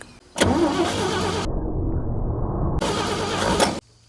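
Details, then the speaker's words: 1956 International S132 pickup after new points and condenser, run from a temporary ground tank through a new inline filter: two one-second bursts of firing, then it dies; carburetor won't fill with fuel, owner suspects a bad fuel pump. "all right guys so i was trying to get this thing actually running set up a little tank here on the ground and i put in a new inline fuel filter just before the carburetor and no matter what i tried it wouldn't fill up with fuel so i'm assuming it's a bad fuel pump"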